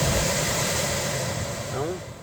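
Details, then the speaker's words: Fiat Toro cabin A/C blower after removing leaves from the internal fan (accessed via air-filter cover): steady, even rush of air with no rattle or scraping; leaves had caused the strange noise, motor replacement unnecessary. "As as folhas estavam estavam fazendo barulho estranho. Agora tá normal."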